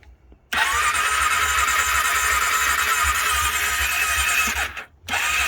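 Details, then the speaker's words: 2001 (51 reg) Honda CB500S twin, stone cold start on choke with new battery and fuel cock on; starter catches within a second and settles into a fast, steady choke idle with no knocks, a healthy cold start. "This is stone cold, so I'm just going to start it up. It's had a new battery. Choke on."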